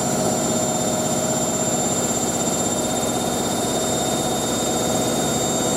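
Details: Hotpoint 9530 Electronic 1000 Plus washer spinning a large towel load after a boilwash: steady high whirr holding even pitch, no thumping or wobble; drum spinning smoothly at full speed.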